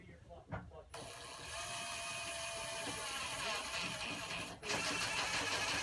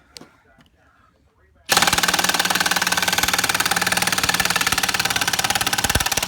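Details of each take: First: Stealth Force Gen5x impact driver at speed 1 driving 2-inch screws with a T25 Torx bit: fast, even rattle of impacts, then a brief pause and another run; it impacts slower but harder than traditional impact drivers. Normal operation. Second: Stealth Force Gen5x impact driver driving a 3-inch lag screw with no pre-drilling: after a quiet start, fast continuous hammering rattle as it fights the screw, not its normal sound; overloaded, owner doubts it has enough power.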